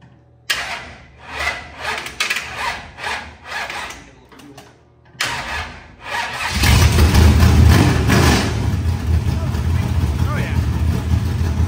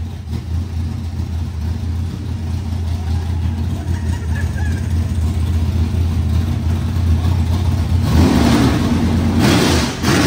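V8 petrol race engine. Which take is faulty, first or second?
first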